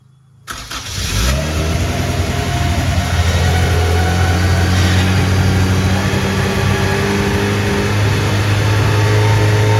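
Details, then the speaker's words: 1992 Honda Civic EG with a rebuilt B18C (from a DC2 Integra) and a GTX3582R turbo, first start in 3 years after the rebuild. Cranks, catches and settles into a steady, fast idle that never drops. It is idling too high. "See, ended up getting the car all started in the last clip. Just is idling a bit too high."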